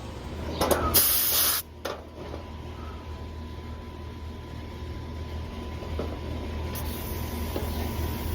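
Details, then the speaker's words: Central AC system reading 11 PSI as gauges connect before adding refrigerant and UV-dye sealant; a leak is suspected. Brief sharp hiss, then only a faint steady rush over the unit's hum: low refrigerant charge. "Yeah, that's what 11 PSI sounds like."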